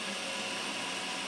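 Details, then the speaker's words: Sharp VC-MH75HM VHS VCR in high-speed rewind: smooth, steady high whir with no grinding, squeal or catching; rewinding fast as it should, about as loud as a Sony deck. "about the same volume as my Sony. Yeah, they literally just chew through these tapes in terms of, you know, the speed of rewind."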